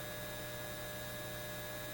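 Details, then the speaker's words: Repaired Lambda power supply on a BK Precision 8540 electronic load at 18–20 amps output, drawing about 13 amps from the wall: steady low mains buzz with faint hiss from its transformers; owner suspects rust on the transformers; transformer hum under load. "there is an angry buzzing sound and that's coming out of the lambda and we heard that increase a lot when we were doing high currents that sound is coming from the door transformers"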